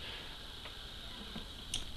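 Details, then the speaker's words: Oil-cooled X-ray tube with white getters, anode and one heater side on high voltage: sharp scattered clicks at 10 kV, arcing inside the tube confirming loss of vacuum (air has got in). "at 10 kV you can hear the clicking noise of the arc inside the tube so we've confirmed we've lost the vacuum"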